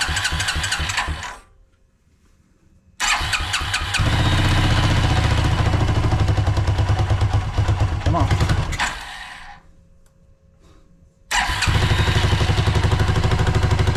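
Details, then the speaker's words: Suzuki King Quad ATV (owner thinks a 300, 1995-97), left outdoors for years. After the fuel pump and fuel lines were corrected, it catches, stumbles once, then idles with a steady, even low single-cylinder thump on its own fuel pump. "that's running on his own fuel pump for the first time oh lovely very nice yes ha super excited all right this is working"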